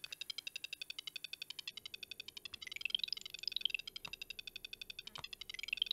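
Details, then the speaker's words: ZX Spectrum 48K issue 2 after fitting a replacement 200-ohm speaker; crisp even string of short high beeps, roughly a dozen a second with rising chirps; speaker sounding properly. "And finally been able to hear the amazing beeping sound"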